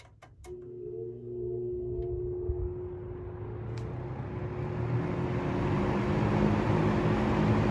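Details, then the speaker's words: Vintage harvest-gold P47 fan after restoration, run on high: switch click, low motor hum, then the air rush builds and settles smooth and steady with no rattle or scrape; fan runs normally. "Well, that runs nice."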